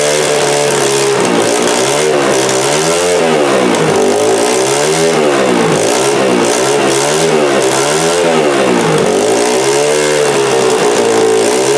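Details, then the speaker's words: Honda XR80R first start, fuel on reserve, no carburetor leaks: small single revs up and down in smooth swells, no misses, stumbles or popping; normal running. "so it starts it runs it runs pretty good yes swinging around here yeah everything seemed to be going good about it"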